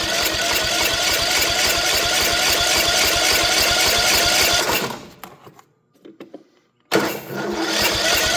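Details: On a Troy-Bilt mower with a Kohler 18 hp engine, after a new carburetor solenoid was fitted, it cranks steadily at about three and a half compressions per second on choke but never catches. Fuel appears to be reaching the filter; little gas is in the tank.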